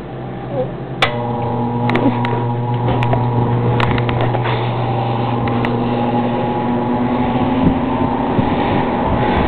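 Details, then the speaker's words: Mimar Dynafan two-speed table air circulator, switch reportedly broken so it runs only on low: switch click, then steady low motor hum and even air rush, no rubbing or rattles; normal running on low speed. "And like all the fans here, it works very well. This is on low speed."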